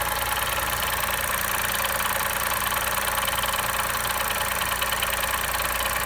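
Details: 2020 Chevrolet Onix 1.0 Turbo, after first start and pressing the brake pedal: steady idle with fast, fairly even ticking buzz on top, noise new to the car; owner suspects vacuum pump, dealer calls it normal.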